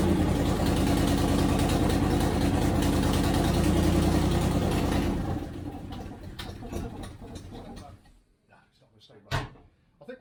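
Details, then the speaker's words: 1973 Range Rover (B suffix) at first start, cold engine in workshop; choke use causing difficulty, owner thinks carbs are running too rich, carb link rod missing; lumpy, uneven idle about three beats per second before shutoff: rough running. "it seems any attempt to use the choke has been um causing a difficulty so again we'll just move about another degree I think the carbs are just running too rich"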